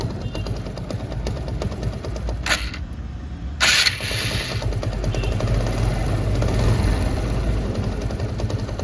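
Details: TVS Apache RTR 160 BS4 idling: loose uneven clatter about three knocks a second, quieter when revved, louder when throttle released; bike also gives white smoke.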